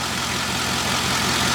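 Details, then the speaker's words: 2005 Chevy Tahoe V8 after misfire fix (cylinder 1 had still misfired while a coil bank was left unplugged): even, steady idle with smooth low rumble, no stumble or skipped beats, all cylinders firing cleanly. "Nice and smooth. Wow. It's really smooth. Yeah, I think we definitely had a problem there."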